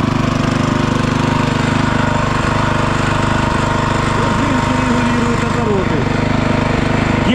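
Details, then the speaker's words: DOZER G7 2BT 7 hp walk-behind tractor (aka Kentavr, DTZ, Forte), engine not yet warmed up: fast steady single-cylinder chatter with an occasional sharp pop; rare backfires while cold. "Вот так он работает. Слышите прострелы иногда? Редко, но есть. Это еще не нагрелся."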